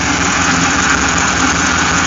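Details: Hemi engine after aftermarket cam install, new NGK plugs, cleaned PCV valve and Flex-a-lite fan, radiator being flushed, power steering fluid topped up after bleeding: steady, even idle with smooth hum, no whine or knocking; normal idle.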